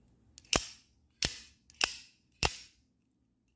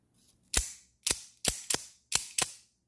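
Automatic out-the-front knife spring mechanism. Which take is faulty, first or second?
first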